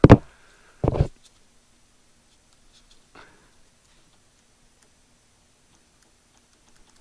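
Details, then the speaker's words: 2004 New Edge Mustang factory fuel pump run off a 12 V battery, after trying 90 PSI air to free it: a few sharp isolated clicks with no motor hum, even reversed; the pump is seized. "no stop clicking try and reverse it still just hear it clicking"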